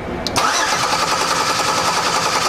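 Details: Vehicle being tested for injector feed and computer injection pulse with a test light: starter spins the engine at a steady, even crank rhythm but it never catches or fires; crank-no-start.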